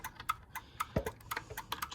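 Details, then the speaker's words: Sommer roller door opener control board in learn mode during programming: light dry ticks about every half second that stop once the button ribbon is plugged in. Control board relay clicking in learn mode. "there you go you'll hear that stop clicking so it knows it doesn't have to be in learn mode anymore"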